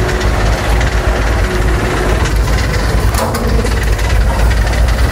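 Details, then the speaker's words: Toyota Corolla AE92 (1K) misfiring at idle, recorded outside. The exhaust vibrates over an uneven, lumpy idle with a heavy low shudder. Rough idle with vibration, likely a misfire. "Sorry guys, mabibrate lang yung kanyang exhaust. Pero pakinggan niyo yung andar niya."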